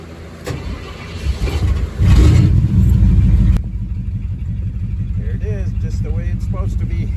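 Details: 1972 Ford F-100 Ranger XLT, stored over ten years, started from the cab after ignition electrical troubleshooting: cranks briefly, catches and settles into a steady, even idle with no misses or knocks. Sounds healthy.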